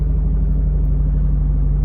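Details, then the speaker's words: 2003 Mitsubishi Eclipse GTS, in neutral, started after sitting undriven for a while (recent oil change): steady, deep, even cold idle with no knocks or misses, settling in; normal healthy cold start. "Nice, cold start."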